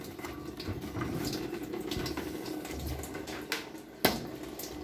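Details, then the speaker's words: Washing machine switched off and unplugged, tap open: steady rush of water keeps filling the tub with no motor or pump; inlet solenoid valve stuck open from scale buildup, to be removed and repaired. "we have it disconnected but the water tap is open and continues to fill it does not pay although I am disconnected the good article that is due to the tartar that has a piece called a solenoid valve"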